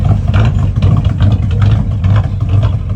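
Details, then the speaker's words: 1998 Ford 5.4 V8 truck heard from the rear at idle: deep exhaust burble that lopes and dips unevenly, running rough; a vacuum leak is suspected as the root cause, before testing with flammable spray at the intake. "So, my last shot, I had a very nice guy um talk about how a vacuum leak could be the root cause of this rough idle that my truck has."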